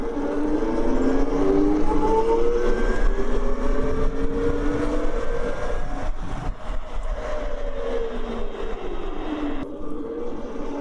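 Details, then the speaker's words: CyberX e-bike after a half belt-drive conversion (one of two chains replaced), flyby pass at speed: a smooth motor whine with no chain slap or rattle over the road noise; much quieter than the chain drive. "Yeah, it's definitely quieter. That's crazy how just half of a belt conversion, like, cause there's 2 chains and 2 sprockets. It's crazy how that makes such a difference."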